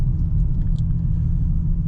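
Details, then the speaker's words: Car with custom titanium single-exit exhaust, titanium Y-pipe and ART cats, test pipes removed, light cruising shifting around 2,800 rpm: deep, even low rumble with no rattles or buzzing; normal exhaust note, like a mild muffler delete. "That was just regular driving, shifting at like 2,800 RPM. Sounds perfect. Sounds like a normal car. Maybe sounds like a little muffler delete."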